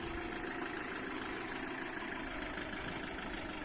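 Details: Ulysse after a blown fuse was found and replaced (no 12 V at the fuse): steady engine idle with an even rumble and no knocks or misses; running normally again.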